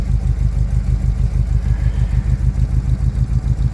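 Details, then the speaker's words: 1975 Chevrolet K20 350 V8, cold start about 22°F after a month and a half sitting, choke on but no high idle set: deep, uneven, lumpy burble at low idle; rough cold idle. "she going poor old Betsy is a little cold"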